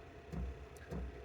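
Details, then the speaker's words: Diesel heater in a micro camper on a 5°F winter morning: soft low thuds roughly every 0.6 seconds over a faint hum; heater fuel pump ticking normally. "just woke up. I don't know if you can hear the clicking of the diesel heater, but uh, yeah, it's pretty warm in here."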